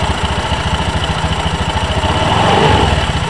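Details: Honda Beat ESP scooter after CVT rebuild fixing rough noise (worn roller and roller housing replaced, belt reinstalled): even, regular idle pulses at steady pace, no grinding or rattle from the drive; normal idle.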